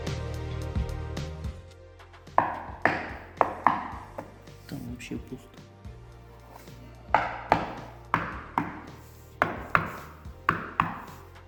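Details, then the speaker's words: Knocking on floor tile where grout has cracked in a badly tiled house; sharp knocks ring hollow and papery instead of solid thuds, tiles have lost their adhesive bond and lift, the whole floor affected. "Там где трещина Я уже 100% знаю что начинает плитка постучал постучала и плитка вся"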